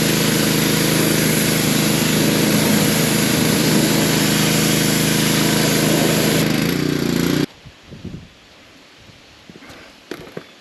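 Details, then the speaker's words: Pressure washer after pump replacement (4-bolt, 3/4 inch shaft pump), water on and air purged: steady even engine drone with spray hiss, no misses or knocks, then clean shutdown after seven seconds; running fine. "folks. I call that a success. That's pretty cool."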